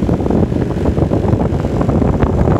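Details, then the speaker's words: Lennox XC25-048 condenser after fan motor replacement with a non-original Gentaq 5SME39HL three-blade fan instead of the Lennox five-blade Quiet Comfort fan: loud, steady low rushing roar with gusty swells, far louder than before; loud condenser fan noise. "all right guys can you hear it can hear the Banshee it didn't sound like this before didn't sound like this before"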